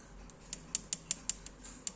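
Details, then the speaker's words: Yamaha Aerox: sharp irregular metallic ticking heard when throttled between 2000 and 3000 rpm, gone above that; traced not to the CVT but to a loose cam chain tensioner letting the chain rattle. "Kalau lagi jalan suaranya cek tek tek tek tek bunyi berisik. Enggak enak banget ya."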